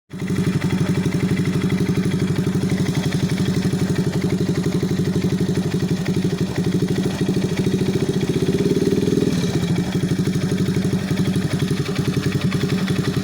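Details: Alpha 110 moped engine rebuilt with new cylinder head, complete cylinder-piston group, timing chain, hydraulic tensioner and clutch assembly; steady idle with sharp metallic tapping on every beat; engine knock, source undetermined.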